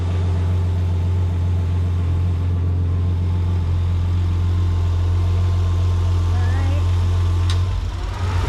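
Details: Freshly built RB25DET with new Garrett G35-1050 turbo on standalone with PRP trigger kit, first start after oil priming and timing sync: deep, steady low rumble, even beat, no knocks or ticks; healthy idle.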